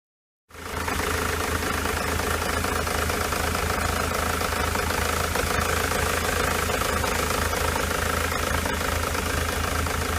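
Diesel idling with a lumpy, uneven clatter and a recurring stumble in the beat instead of a smooth run, pointing to a misfire.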